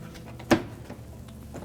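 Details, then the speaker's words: Whirlpool-built dishwasher after replacing the door switch kit (part 4318273), screws and inner panel reinstalled: door closed to check latching, one crisp latch click with no rattle or rebound; normal door latching. "Now that we have all the screws back in place, we can close the door up. Make sure that it latches and unlatches properly."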